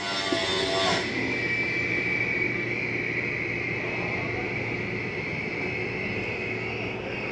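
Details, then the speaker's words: 2023 Flagstaff Classic 832IKRL travel trailer slide retracting by holding the button: steady even whirring drone, fixed mid-high tone, no clunks or straining; a little noise at the end means fully in. Normal slide-out motor operation. "Why did you hear that little noise? That's just the slide mechanism saying I'm in all the way."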